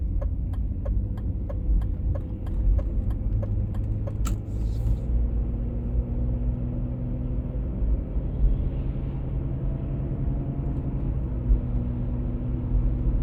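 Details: 1996 BMW E39 523i automatic (pre-facelift) makes a low, steady droning hum under road rumble while cruising at 50–60 km/h and again at 70–80 km/h; the source is undiagnosed and can't be told by ear.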